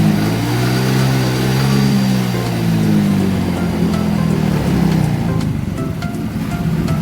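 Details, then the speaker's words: Yamaha Mio Soul GT that was overcharging to 15 V with error code 46 and stumbling on throttle, now with a temporary spare regulator-rectifier fitted and the fault cleared: revs rise and fall cleanly and smoothly, with no misses. "Halusnya halus, Bang."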